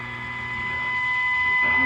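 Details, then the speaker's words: Philco 41-280 vintage radio, preset alignment after it was mistakenly left on the police band: turning counterclockwise brings the signal generator's modulated test tone up clean and steady as the trimmer turns. The preset is now receiving it. "I needed to take it out of everything, but listen as I go counterclockwise. You can hear that modulated tone come through."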